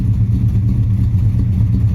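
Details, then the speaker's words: 1976 Dodge Dart 340 with Edelbrock carburetor, after fixing the stutter caused by a burnout: short, steady, deep rumble with no misses, stumbles or clatter, pulling smoothly; happy again, mostly; normal running. "now well i'll be dipped i think that was it it's happy again mostly"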